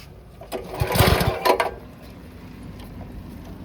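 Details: 2009 Kawasaki KLX 140, sat about two years, jump-started without a battery: the single-cylinder buzzes up through a quick rev, then drops back to a steady low putter with no misses; runs fine.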